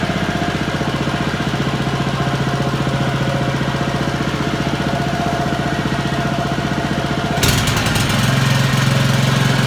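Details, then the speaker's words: Honda lawn mower after cleaning the carburettor idle jet and float chamber, with the air filter refitted. Smooth, regular idle with no hunting, then a clean rev to a steady higher pitch; running properly. "we've clean that little idle jet out and it's running like a dream it's this idling like it should revving nicely ready for the new season"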